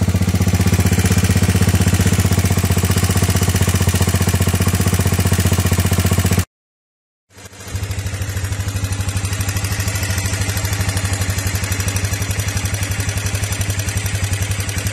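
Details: Honda Fourtrax 300 (TRX300) single-cylinder idling after valve adjustment to 0.15 mm (.006 in) at TDC compression, muffler replaced: steady, even thump with no sharp ticking, lash set correctly; sounds nearly new.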